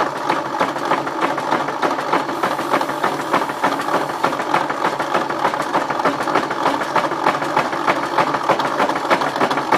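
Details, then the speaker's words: 1953 Ford Jubilee tractor, engine just freed from seizure with penetrant and ATF in cylinders, cranking on a rigged battery without starting; fast fairly even clatter about 200 knocks a minute, owner suspects broken connecting rod, starter or hydraulic pump, unconfirmed. "s got a broke connecting rod or could be the starter oh it is I don't think it has spark although it's pulling juice B is this motor just doesn't sound happy"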